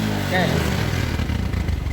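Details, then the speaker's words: Suzuki New Smash motorcycle with high fuel consumption, black exhaust smoke and no stable idle; soggy rough revs under throttle, heavy black smoke, spark plug stays black and won't dry; running rich from a leaking carburetor vacuum part. "Banyak sekali ya teman-teman asapnya asapnya itu menghitam oke Ya sudah kelihatan Nah kalau begini otomatis busi akan selalu menghitam ya teman-teman tidak bisa mengering"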